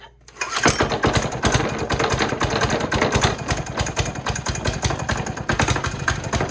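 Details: Cheap Chinese single-cylinder diesel from Amazon on plywood, started with throttle just off the stop and decompressor: short crank, catches, settles into steady even chug with no misses or knocks; normal idle.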